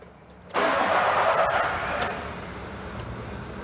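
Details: 2017 VW Voyage EA111 engine that misfired after refuelling, restarted after ECU adaptations including fuel adaptation: after half a second of quiet the engine catches at once and settles into a smooth, steady idle with no stumble; normal start.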